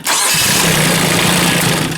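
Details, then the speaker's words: Kubota K008 mini excavator diesel, 166.6 hours, warm restart after half an hour running on a nearly dead battery: fires almost at once and settles into a steady, even run with no slow dragging crank. Normal start. "that seemed better anyways so okay not much of an alternator on this for charging a really dead battery"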